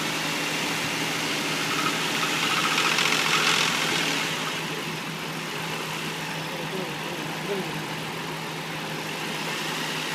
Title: 2004 Infiniti I35 engine knocking